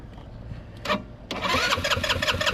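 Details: 2006 GY6 150 scooter that sat a long time: one click, then the starter spins the engine in quick, even strokes without it ever catching. Spark is confirmed good; it cranks but won't start.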